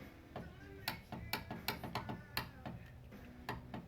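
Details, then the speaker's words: 2009–2013 Subaru Forester passenger front power window, motor powered directly with a power probe: sharp irregular clicks with no motor run and no glass movement; fault in the motor or regulator, which is replaced. "i can hear it clicking but it's not doing anything so there's something going on with this motor or this window regulator"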